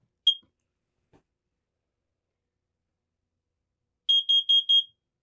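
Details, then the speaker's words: Ceiling-mounted carbon monoxide detector in the bedroom of a 2024 Newmar Bay Star Sport 2813 motorhome, test button held: one high chirp, a pause, then four quick chirps, showing batteries up and the detector operational. "and you'll hear another series of beeps once that is complete then it shuts off and U then you know your CO2 Det detector is operational"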